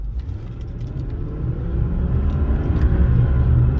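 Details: 2002 Jaguar XJ8, 127,000 miles, on a test drive: deep, steady roar building with speed, no engine tone in it; engine and transmission seem fine; suspected bad tire(s), wheel bearing or driveshaft, unconfirmed.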